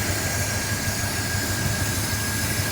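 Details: 1972 Corvette, base 350 four-barrel V8 with reportedly 47,000 original miles, after fitting a remanufactured Quadrajet carburetor: steady, even low idle thump with no misses or knocks, smoke gone, running smoothly.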